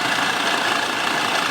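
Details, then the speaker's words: Former news van Sprinter diesel idling after running about five hours: sharp rapid ticking over steady idle; first thought manifold gasket, suspected injector seal leak ("black death") on cylinder two. "you familiar with black death oh yeah aka injector seal leak i'm gonna say your number two is leaking"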